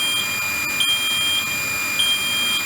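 A steady high-pitched buzzer tone holds over a faint pump run; it is a normal start-up fill until the water level is restored.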